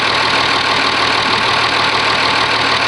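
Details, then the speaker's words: Oliver 1850 tractor diesel, genuine cold start at about 45 degrees, not plugged in, preheater possibly not working: steady idle under hiss, no misses or speed swings, no smoke; normal idle. "That's a genuine cold start for you. Mainly because I don't know if the preheater works or not yet. I haven't got that far into the wiring. But she starts, she runs."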